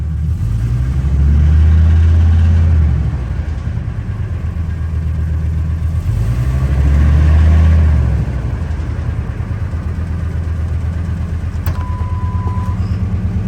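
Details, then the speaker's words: 1999 Ford F-250 with V10, restarted after spark plug repairs with one plug still leaking: quick regular ticking over the low idle that keeps pace with two revs and comes and goes. "this is what it sounds like with one plug there it is there it is yeah just start up [Music] comes and goes [Music]"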